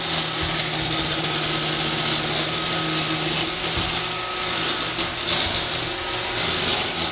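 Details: Roomba 560 robot vacuum running on hardwood floor, quiet on carpet: loud, harsh buzzing rattle over the steady motor hum; something vibrating loose.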